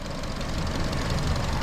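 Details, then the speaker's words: Copart-bought, rebuilt Chevy Cruze petrol engine idling with the hood open, grime on the engine left to burn off, apparently not smoking: short steady idle with an even low rumble, no misses or obvious knocks; normal idle. "I think that's what he did before, and it was yeah, I'm gonna have to let all that shit burn off, but shit, it sounds good, it's running"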